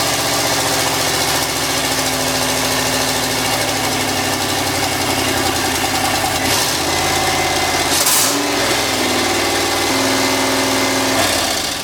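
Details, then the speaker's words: LS turbo engine in a Miata kart, early running on a partial tune with the MAF still plugged in. Loud, uneven, lumpy hunting idle whose note shifts partway; runs but rough, not yet tuned. "cool it runs so it's a few days later"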